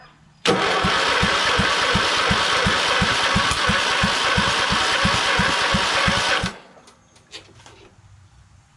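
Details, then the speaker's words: Craftsman LT2000 lawn tractor in an engine repower project, on jumper pack with slow battery: starter cranks steadily about three strokes a second for six seconds but never catches; crank-no-start, fuel suspected. "I shoot some go-go juice in there and see. Maybe it's not getting fuel."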